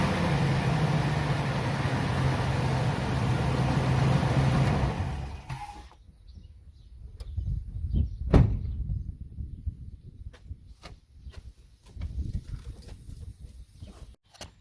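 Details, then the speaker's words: Ford E350 V10 RV motorhome after replacing the serpentine belt and the tensioner, whose old spring was shot: the engine is revved to almost 4000 rpm with no belt chirp or squeal. The belt drive is healthy. "hey i went i went almost to 4000 rpm with 3500 no squeal before"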